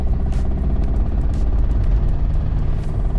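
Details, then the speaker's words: VW Golf 1.9 TDI PD diesel (engine code BLS, 105 hp) running with a sharp repeated clatter over a heavy drone, more knocks as revs rise; weak power, glow plug and MAF codes; pointing to a worn camshaft and hydraulic lifters. "dodaniu gazu Im więcej obrotów tym więcej stuków oczywiście mam jakieś podejrzenia"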